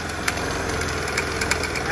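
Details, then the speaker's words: Piaggio Zip scooter before service: a rough idle with scattered sharp clacks every fraction of a second from the CVT housing, a heavy noise on the belt-drive side. The CVT is noisy and needs service. "Nah ini kendalanya nih ada suara berat akan didalam blog type c-nya ini"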